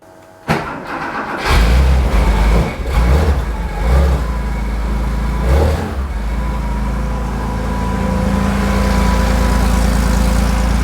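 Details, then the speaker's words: Porsche 911 2.8 RSR build: a brief crank, then it catches cleanly, blips a few times and settles into a steady even idle; starting and running properly, and the alternator is charging at 14.3 volts. "runs it still runs let's check that out Knight up"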